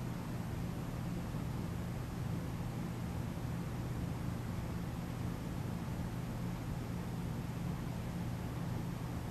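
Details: Original 52" NuTone Decorator ceiling fan, about 10 ft up on a 2–3 ft downrod, wall-switched, believed on low in reverse: steady even low hum with a smooth airy whoosh, no knocks or rubbing; normal running.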